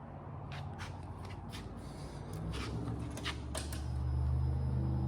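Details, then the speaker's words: Nissan R33 Skyline GTST RB25DET after rebuild and fuel pump swap: low uneven idle with wavering rumble and clatter, blowing black smoke; blow-off valve spring too weak, valve opening at idle. "all right so it is running and is idling but it's blown black smoke and I came up here and looked around and the blowoff valve came with two Springs the one that's in it and another one and at idle the blowoff valve is just in there opening"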